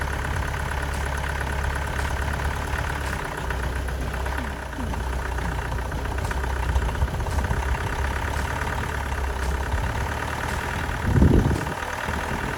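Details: Astra van diesel after engine change (old engine's water pump leaked), new belt fitted: even, steady idle clatter, no knocks or hunting; runs sweet, though possibly a slight low-rev misfire, other injectors may be changed.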